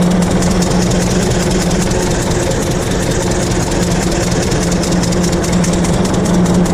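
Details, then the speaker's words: 1926 Hart-Parr 16-30 tractor, first run in over a decade after six months of work; slow, heavy, steady and even thumping beat, firing regularly and running smoothly. "well there you have it after six months we finally were able to fire it up and take it for a short ride and first time starting this tractor in well over a decade"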